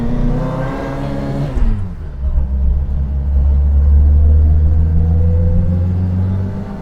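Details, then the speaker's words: Fox on a test drive after the exhaust blow was fixed and the fan belt tightened: engine pulls up, then settles to a smooth, deep, even drone under road load; running normally. "she seems to be running very nicely of course we've got the difference of um not having the exhaust blowing"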